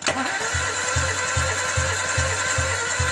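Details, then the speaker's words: 2007 Toyota Avanza that died suddenly on the road, during a compression test: steady starter cranking at about 2.5 pulses per second that never catches; about 6–7 bar on all four cylinders against 12–14 spec, possibly from a leaking valve, head gasket or piston rings. "ini hanya 64 ini Seharusnya 12-14 tapi di sini hanya 6 the bar Hai nilai seperti ini ini tidak akan mampu untuk membakar bahan bakar"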